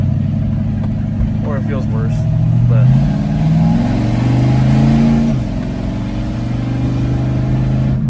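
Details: 1941 Willys hot rod V8 after retiming to 15° and tightening the distributor: smooth, even idle with light rev blips, no misses, knocks or hunting; driver says it feels better, healthy.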